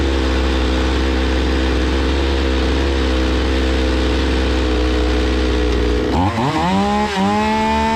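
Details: Zomax 5020 two-stroke chainsaw, carburettor cleaned but still stalling; steady low running for six seconds, then revs dip and surge unevenly, unable to hold speed, before mixture screw adjustment.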